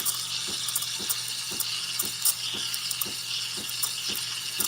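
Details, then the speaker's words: Bravo espresso machine steam wand lifted slightly out of the milk to introduce air: steady high hiss with light, regular ticking chirps as the tip draws in air; normal milk stretching before the tip goes back in to heat. "you hear that sound that is the sound of air introducing to um being introduced to the"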